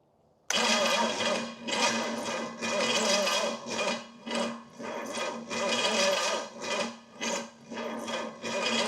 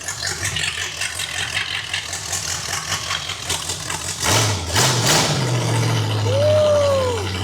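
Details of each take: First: Pontiac 455 V8 (the more expensive of two engines) after oil priming, with ignition timing being adjusted and possibly far out: the starter churns in uneven surges for nine seconds without the engine catching; its solenoid appears to stick. Cranks but won't start. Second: Used $1,500 Pontiac 455 V8, first start after priming the oil system and re-stabbing the HEI distributor: rumbles unevenly at first, then a quick rev into a steady healthy run; starter sounds bad; normal running.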